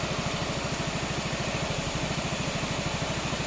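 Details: 2016 Yamaha XMAX 250, warm, after fitting a used original exhaust: even, quick idle putter under a steady cooling-fan hiss, firing smoothly and regularly. Normal warm idle with the fan running.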